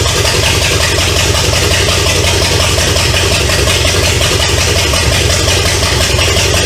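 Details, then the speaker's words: 1970 Pontiac LeMans with Pontiac 350 V8, abandoned for decades, first start, running without coolant through open exhaust: loud raspy idle with even lope and no knocking, until it ran out of gas; normal idle. "well sounds pretty good"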